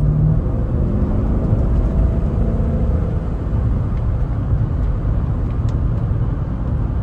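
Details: 2012 Chevrolet Tahoe at road speed, with an owner complaint of humming and wobble: a steady deep roar under the cabin with no knocks or clunks. Wheel bearing suspected; a questionable tire and bad motor mounts were also noted. Wheel hub bearing roar.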